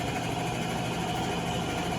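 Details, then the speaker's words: Avanti TLW 21D2P portable washer, after pump repair, on rinse and spin: steady even motor hum, constant pitch, no grinding or rattling; normal drain pump operation. "As you can see, as you can hear, the pump is working right now. That noise is the pump."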